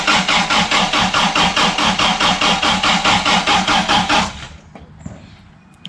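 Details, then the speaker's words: Toyota RA40 with 22RE engine, cold start after replacing injectors and parts: starter cranks evenly about two and a half pulses a second for four seconds but engine never fires. "that's not [ __ ] good it seems she's still got issues that's super annoying after all that effort"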